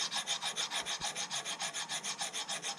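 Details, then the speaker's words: Ford GT40 cylinder head bought cheap, heavily carboned: harsh dry rasping strokes, three or four a second, as a valve is worked by hand; galled valve stem scraping in its guide. "The valves are just junk. Do we need new ones, or are we? Well, you know, it's what do you want to do with this? This one's galled up in this area here."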